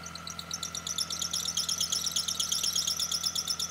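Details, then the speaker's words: Idling engine with quick, sharp drive-belt chirps about three a second; diagnosed by spraying the belt with water (louder means tension issue, fading then returning means pulley misalignment); belt itself in good condition. "if you have tension issues the first thing you should check is the condition of the belt because a worn belt can stretch over time and then start slipping off these pulleys causing you to hear that screeching noise from your engine"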